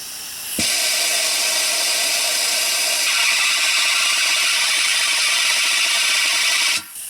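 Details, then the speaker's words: BMW X5 E70 N55 six-cylinder twin-turbo, coolant vacuum filler after expansion tank replacement: loud steady air hiss whose tone shifts partway through, with hoses collapsed; the filler has pulled full vacuum and the system is ready to draw in coolant. "now when it makes that noise i'm ready to go it can't draw any more vacuum so you just slowly crack this open"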